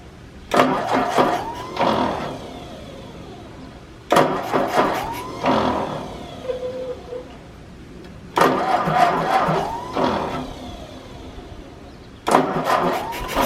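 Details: 1951 Ford 8N tractor after valve job, carburetor cleaning with new gaskets, and exhaust cleared of mouse nests: repeated short starts, each catching quickly and settling into an even, steady run; engine sounds healthy.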